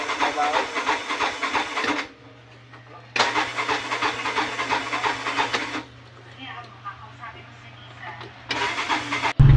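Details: 2021 Bajaj RE crank-no-start: three bursts of starter cranking with pauses, and it never fires; fuel isn't reaching the engine, and after the fuses are checked the fuel filter under the tank is replaced.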